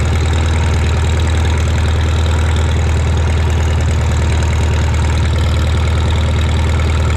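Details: Shop tractor, either the John Deere 4020 or the Farmall Super M, just started with choke and throttle levers and driven outside. It makes a deep, even low thump at idle with a steady beat and no knocks or misses. Normal idle.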